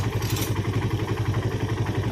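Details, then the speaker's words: Suzuki Satria FU with rough engine noise from a worn timing chain and tensioner converted to manual, idling after tensioner adjustment and oil circulated: even, steady thump with no chain slap or rattle; normal, smooth idle. "Is there a change in the sound or not? This is quite smooth"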